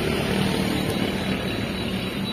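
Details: Used Japanese wheeled excavator/forklift diesel with a three-stage hydraulic control valve, idling: steady, even diesel rumble at constant speed with no knocks or misses; normal, healthy running.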